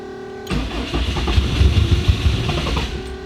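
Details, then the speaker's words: 800HP Subaru STI after engine failure, briefly cranked: the starter spins about two seconds with uneven chugs but never catches. Cylinders are flooded with fuel, blown out before retrying. "yeah yeah there's a lot of fuel in there go ahead do it again"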